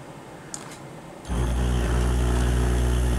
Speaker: then enormous again but it's beginning to oscillate there's another frequency higher up now hear that